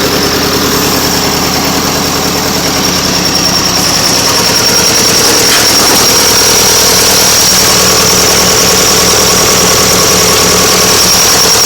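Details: Nuffield 805 tractor diesel at idle after a full engine rebuild, first start after standing 10 years in a field. A steady, even clatter with no knocks or stumbles: a normal, smooth idle.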